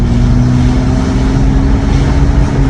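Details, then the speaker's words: 8th-gen Honda Accord on a test drive after new spark plugs and coil packs and cleared codes, no warning lights: steady low engine drone under road noise, even pull with no stumble or misfire; running smoothly. "smooth, sounds good. I think we're good."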